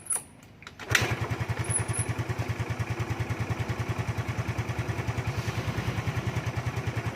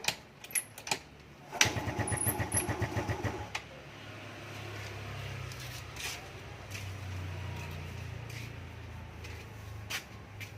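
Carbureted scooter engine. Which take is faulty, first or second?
second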